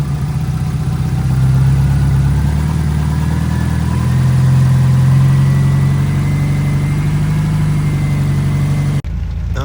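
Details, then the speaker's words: 2005 Subaru STI idling after in-car oil pump replacement, oil pressure primed beforehand: even, steady low idle burble without hunting, knocking or ticking before shutoff; AFRs good, oil pressure holding, idle perfect. "she's idling well. AFRs look good. Down here, oil pressure holding. Idling literally perfect."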